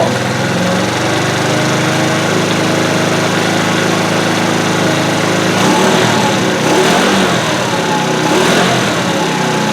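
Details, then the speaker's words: 2013 TaoTao Pony 50 scooter (red), small engine running evenly with steady quick buzzes, no misses or stumbles; it runs fine. "No, it is running, and that's very good."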